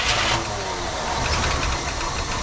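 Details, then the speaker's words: 1967 Cadillac DeVille convertible V8, first start on ether after years sitting in a backyard: idles loud, uneven and stumbling with clatter from noisy lifters expected to pump up; misfiring, number seven not firing judging by temperature, spark present. "yeah little noisy s it's like pretty good though some misfiring lifters are a little noisy"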